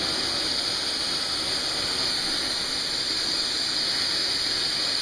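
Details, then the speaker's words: Early US Micro Jets/AMT 180 air-start RC turbine, manually started with glow, compressed air and propane in near-freezing weather: a steady high-pitched whine and rush of air at an even level with no surging, running normally. "once you hear it pop you can basically get the air on it full start turning up the propane and it should be ready to go"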